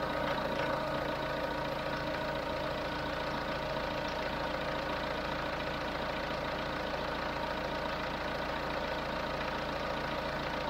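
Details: Chevrolet Tracker after valve tapping repair, warm around 98 °C waiting for the electric fan to switch on at 99: even, steady clatter at idle with no misses or surging; normal warm idle.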